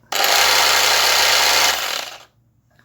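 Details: Electric sander, test after a temporary patch repair of a faulty coil secured with two screws: high buzzing whine runs briefly then winds down within a second; motor runs but sounds weak and slow to build speed.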